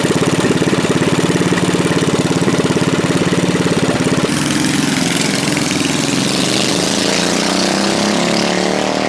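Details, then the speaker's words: Governed mini bike engine at full throttle: quick even firing pulses, then the note drops and turns ragged as it chokes out under heavy throttle; governor suspected as cause; engine bogging under heavy throttle. "yeah it's like it starts choking out real quick especially once you start getting a lot of throttle"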